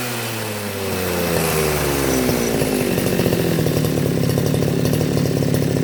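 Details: Makita RBC411 two-stroke brush cutter after a no-start repair with carburettor cleaned and refitted, choke on: engine fires, revs up smoothly and holds a strong steady buzz without stumbling or surging. Running properly.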